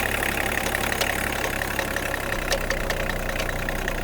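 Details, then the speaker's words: BMW E34 diesel after bleeding injector lines: uneven stumbling idle with rough clatter, a misfire; air bubbles seen in the fuel line and backflow, so air in the fuel is suspected and re-bleeding planned; viscous fan also noisy. "Something, it's not. No, it's getting a miss."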